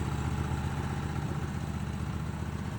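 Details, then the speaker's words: Vintage ARGO 6x6 Vanguard II amphibious barn find, long neglected, now running on a swapped non-stock Honda engine with factory wiring: steady, even idle with a smooth low pulse, no knocks or misses, normal idle. "We got her running here with a non-stock engine. As you can see, the wiring is factory."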